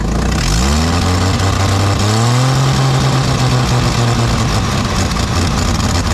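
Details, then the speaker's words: 1989 Jeep Wrangler YJ 4.2 inline-six, 5-speed, parked nine months: revs rise unevenly with choppy stumbling note as soon as throttle is given, no load; misfire and sputtering, fuel or ignition suspected. "last time I drove it as soon as I gave it some throttle it just started missing and sputtering"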